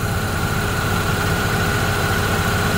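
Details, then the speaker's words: Opel Astra G after replacing the failed V-ribbed belt tensioner, engine idling with AC and fan at maximum for electrical load: smooth, even idle with light steady whir, no squeal, chatter or tensioner jumping; normal idle. "phần anh ta im lặng mọi thứ hoạt động một cách trang nhã, tức là thay thế bộ căng đã giải quyết được vấn đề"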